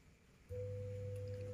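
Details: Polytron two-door semi-inverter refrigerator that lights but does not cool: a sudden steady low hum comes on and holds with no run-up, the compressor jammed and unable to start while the overload cuts the current.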